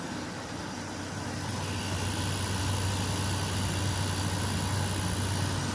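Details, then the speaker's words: 2003 Whirlpool 5000 BTU air conditioner, model ACD052MM0, thermostat all the way down: compressor kicks on with a steady low hum and even airy rush, no knocks or rattles; the owner thinks it may be a Rechi compressor. It sounds nice and runs smoothly. "Compressor sounds nice. Not going to be able to see in there."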